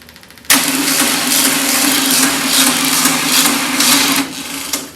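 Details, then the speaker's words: VW Beetle engine on a temporary external tank, fuel pump and starter switch, battery likely dead and boosted: starter turns slowly with an uneven, labouring chug for about four seconds; weak rough cranking, cause unclear. "Oof. Sounds rough. Doesn't sound like the booster's"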